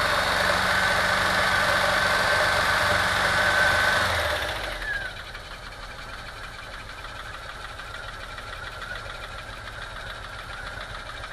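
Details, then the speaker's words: VW T3 2.1L rough running and misfiring while driving, with audible backfiring and a lumpy, uneven beat; ignition scope showed lean burning on cylinder two, no smoke leaks; misfire traced to a burnt exhaust valve. "a belt noise ruff running in this firing while driving you can hear it backfiring"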